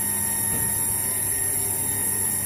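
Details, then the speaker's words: Peripheral-type water booster pump pushing water from a rooftop tank, running: steady piercing high whine over a low hum, a whine typical of peripheral pumps; owner dislikes it and recommends a closed-impeller semi-jet pump as quieter. "Yang saya enggak suka itu semua pompa dorong yang peripheral itu adalah suaranya. Denging."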